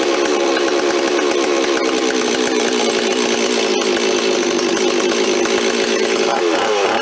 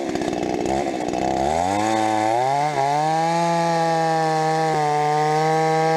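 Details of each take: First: Rebuilt Stihl 026 two-stroke chainsaw, parts saw restored with aftermarket parts, first run on fresh high-octane fuel, no bar or chain fitted: crisp buzz holding steady, then blipping up and down cleanly while the mixture is set by screwdriver; normal running. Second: Rebuilt Stihl 026 two-stroke chainsaw, cutting: climbs from rough idle to a high steady scream with sharp pops at the top end under load; owner suspects spark plug too hot.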